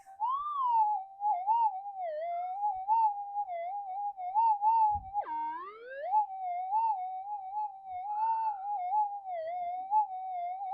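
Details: GPZ-7000 metal detector reported noisy, tested in a workshop after ground scan; steady mid-pitched threshold hum wobbling, drifting and up-pitching with one sharp dip and sweep, likely outside interference.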